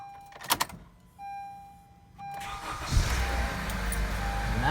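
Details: 2017 Honda Accord Sport CVT (9th gen), first start after a new battery was installed: brief cranking whir, then the engine catches within a second and settles into a smooth, steady idle with no stumble.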